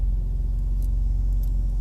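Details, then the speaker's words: Infiniti G35 at idle: a steady low rumble with a fast, even light tapping, clearly heard in the engine bay, plus a shudder when put in gear; owner wondered about a passenger-side exhaust leak; cause unknown. "You put it in gear. You can feel a shudder in the car and that tapping sound."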